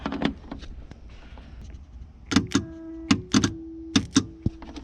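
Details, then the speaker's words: 1978 Chevy El Camino A/C heater core shut-off valve, bench-tested on battery: sharp clicks with faint hum as coil is powered; valve snaps closed cleanly, working normally. "And you'll hear the valve shut as you connect power to the coil."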